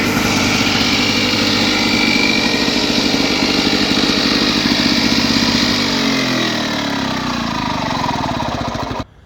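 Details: Lawn-Boy two-stroke mower after pull rope replacement, primed three times: buzzes along smoothly at a steady, even pace, then throttle drops and it cuts out; normal running.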